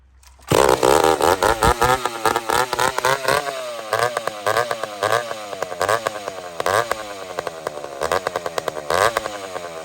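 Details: McCulloch Super Pro 70 chainsaw after repair, switch removed, pulled without choke or compression button on a hot day: fires and revs cleanly under throttle and cut, no surging or bogging; owner suspects slightly lean. Normal running.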